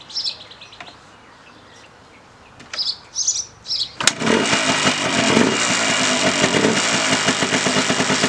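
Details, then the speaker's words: 1989 Yamaha Blaster 200 two-stroke, revived after sitting 15 years, airbox cover and last muffler baffle removed, still warming up: loud, uneven, slow popping idle; idle set too low, mixture adjuster has little effect. "Not getting much out of the mixture adjuster. It's I can feel it or hear it make an effect, but it's just not idled up enough."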